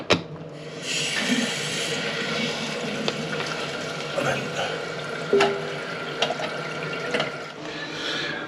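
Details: Steady rush and hiss of water refilling a toilet cistern, turned on after a new fitting was tightened, with a few light clunks and no dripping or irregular trickle; filling normally.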